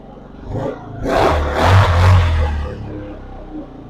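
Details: 200cc Chinese quad in neutral, after fuel tank cleaning and pinhole welding, new carburetor, new battery and brake adjustment, fires with a low putter, revs briefly, then settles to a steady, even idle; running normally.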